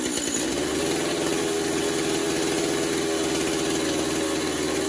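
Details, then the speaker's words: Stihl MS250 chainsaw after drum sprocket installation, bar and chain tensioned, low on fuel: steady, even two-stroke idle with no surging, rattles or clutch drag, normal idle. "We're going to fire it up, make sure it's operating like it's supposed to. There's no issues with the clutch."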